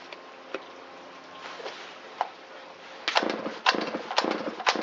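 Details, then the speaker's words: Shindaiwa 360 chainsaw with Walbro WT-89 carburetor, long-stored, first test run after repair, choke in: sputtering pops then ragged bursts that stumble when throttled; bogs off idle and won't reach full throttle, mixture too lean at idle. "That bogging right off of idle and the inability to go to full throttle means it's too lean at idle."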